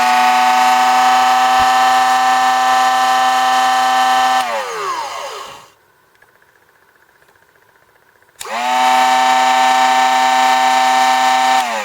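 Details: Drill Doctor XPK drill bit sharpener run empty, first test: clean, steady motor hum at even pitch, winds down, silent, then spins back up to same smooth tone; healthy.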